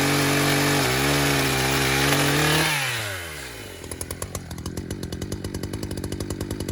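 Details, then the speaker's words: Chainsaw used while cutting smoking wood; winds down from a high howl into a quick, steady popping idle that never drops, keeping the chain creeping without throttle. Owner thinks it is out of tune; cause not confirmed. "You can see and hear that the saw is kind of running. It's not tuned right, something's going on with it, but it just keeps spinning the chain without throttle and keeps finding its own throttle, which is kind of odd."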